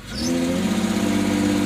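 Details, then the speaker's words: Car after throttle body removal, cleaning and reinstallation: idles near 1000 rpm but engine note rises then flattens and holds despite throttle, still won't rev past 2000 rpm; cause not yet found. "it doesn't want to rev past 2,000 still."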